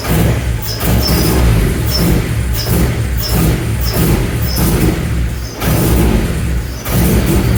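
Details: K24-swapped BMW E30, first start on a base map with no tuning: engine runs unevenly with a dull thump roughly every two-thirds of a second over a low rumble; rough idle, cause unclear.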